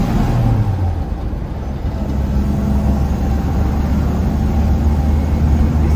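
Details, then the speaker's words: 1972 Toyota Land Cruiser FJ40, largely original and untouched, driving: steady whine from the original three-speed gearbox over the low engine drone. "So we're going to go ahead and drive it, and you can hear that 3-speed of whining."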